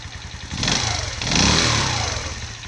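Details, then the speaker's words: Viper Active moped engine knocks with a rough, rattly knock over the exhaust note despite new head, piston, chain and crankshaft; knocks harder when cold, stops when warmed up. "на холодную стучит еще сильнее"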